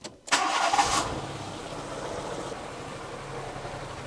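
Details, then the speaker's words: Renault Twingo idling on two cylinders: catches then shaky, irregular stumbling idle; two cylinders dead despite strong spark, plug leads change nothing, traced to a failed injector driver in the ECU. "These 2 in here are not working."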